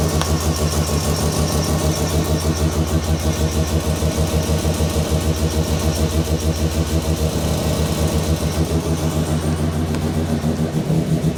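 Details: New Mazda 13B bridgeport rotary just after its first start, cooling system being bled: loud, choppy idle with a fast steady pulse around three per second, staying even throughout; normal idle.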